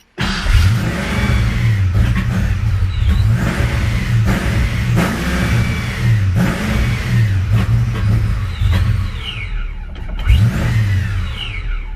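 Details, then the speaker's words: Supercharged Fox-body Mustang on first start, after injector, plug and wire refitted: engine lopes and hunts, revs rising and sagging as it barely holds idle; owner suspects a vacuum leak. "Kind of thinking I might have a vacuum leak or something like that, so. At least it's trying to idle a little bit."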